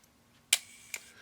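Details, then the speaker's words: Voigtländer Vito series fully manual, battery-free German camera, shutter fired: two soft, crisp clicks about half a second apart, quiet with no drag or rattle; normal shutter release. "really quiet and discreet camera very very nice"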